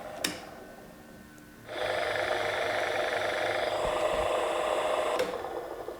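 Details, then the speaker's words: Harrison universal milling machine (HS178) table motor, removed and run: steady whirring hum with a coarse, gritty roughness underneath; worn motor bearings, to be replaced. "let's try this motor see what it sounds like well that sounds rough doesn't it so those bearings are going to have to come out"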